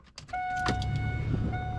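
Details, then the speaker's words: Gen 4 Trans Am power window motor during replacement, run with the other switch: a steady, even whine that holds one pitch with no grinding, so the motor works normally and the original switch is faulty. "all right so the motor's working so basically uh it's gonna order like a ten dollar switch"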